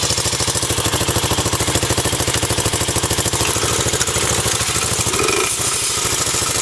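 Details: 1984 Honda single-cylinder bike (Z50R or ATC 200X) idling: a quick, even popping beat holds steady with no misses, knocks or rattles; it is idling cleanly and healthily.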